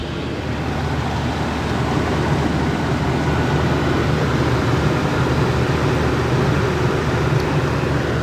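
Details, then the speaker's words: 2004 Ford E-350 Super Duty V10 van, 70,000 miles, first start after sitting about six years, following full tune-up, fresh fuel, new filters and fluids. Even, steady low V10 rumble at idle, no knocks or misses: normal idle. "Real dirty, but she's running."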